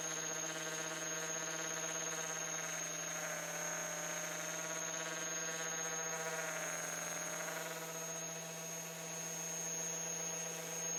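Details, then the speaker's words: Hueborly 5.0 budget sander on a stiff vacuum hose with a 3D-printed connector: piercing steady high-pitched squeal over the sander's whir throughout; owner suspects the vacuum or hose airflow, adapters haven't cured it; high-pitched squeal. "it's just a such a high-pitched squeal so I'm gonna try some different Inlet hoses main hoses to the vacuum"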